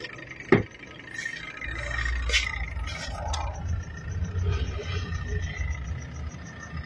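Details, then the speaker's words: Twin-tub washing machine spin motor with a worn spin knob that must be pressed hard: a click, then a steady low electrical hum while the motor stays stalled. Cause not yet checked. Motor hums but does not spin. "Terdengar suara dengungan mesin. Mesin berdengung dan knopnya dol."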